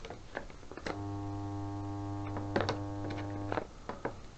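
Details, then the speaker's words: Submersible well pump, dead, tested upright with float tilt switch enabling power: steady low electrical hum for about three seconds then stops, motor hums but pump does not run. "When I put it upright, you might be able to hear the motor in here just humming. If you listen, and that's all we got, a hum."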